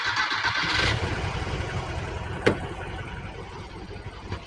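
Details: 1968 VW Type 3 original fuel injection: cranks briefly, catches at once and settles into an uneven idle after the engine temperature sensor is unplugged; that faulty sensor was the hard-start cause, possibly an erroneous reading or short to ground.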